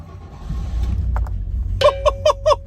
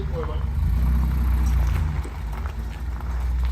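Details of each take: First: Rolls-Royce started after sitting over a year, battery just reconnected: catches first try and settles into low steady idle with no misses or knocks, dash chimes ringing, oil pressure slowly rising; healthy start. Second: Rolls-Royce just out of storage, cold, backed out to warm up: very low, lumpy, uneven idle with wind noise, never running on more than four cylinders; misfire.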